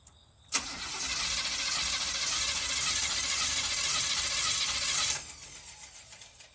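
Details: 1984 Chevrolet Camaro Z28: steady cranking for about four and a half seconds without firing, despite getting gas and spark; owner suspects ignition timing or spark plugs and plans to retime the distributor.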